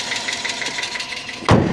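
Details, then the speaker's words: Hyundai Accent at warm idle: quick, even ticking chatter about six a second, starting once the oil warms up, before a thump; no rod knock heard on throttle taps; owner suggests fresh oil, filter and 10W-30 instead of 5W-20; source unconfirmed. "It seems like as soon as the oil warms up, she just starts chattering."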